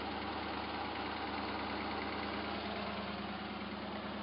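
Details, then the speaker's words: Hot-rodded V8 Jeep J7 rock crawler, at normal operating temperature: smooth, even idle with a steady low burble and no misfire, running on all eight; the carburetor secondaries need tightening. "definitely running on all eight holy crap does a gas cage work no gas cage can't work i i can't be that lucky i won't be that lucky it's up to normal operating temperature"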